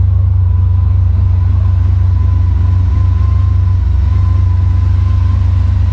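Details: Freshly rebuilt "Maliboom" engine on its first fire, running with the mufflers on after the oil pressure came up: a deep, steady low idle rumble with an even beat and no knocks or misses. Normal idle.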